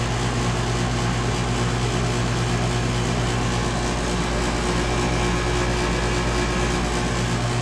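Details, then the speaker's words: 2012 Bryant Legacy air conditioner outdoor unit with scroll compressor, at 66°F for the final run of 2023. A steady low electrical buzz sits over the fan and compressor drone; it has sounded worse since about August. Cause unknown. "thing sounds like I feel like this thing has kind of sounded worse over the uh the course of the Season you know you know like how it you hear that buzzing right now"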